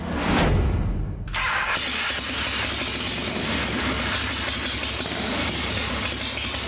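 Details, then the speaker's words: Motorcycle after helicoil repair and final checks, fired up with primary case off and a clutch-viewing unit fitted before adding primary chain fluid; catches after a short crank into a steady, even idle, no knocks or rattles; kick starting still an issue. Normal idle. "he's got to finish up some wiring and stuff on it and uh that should be good but she sounds good everything's good"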